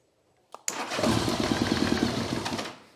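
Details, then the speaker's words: 1982 Honda GL1100 Goldwing, sat 12+ years, after starter repair: starter whir, then it catches and runs ragged on only some cylinders for about two seconds before dying. "Turns out I might have started the starter some more, and now she cranks."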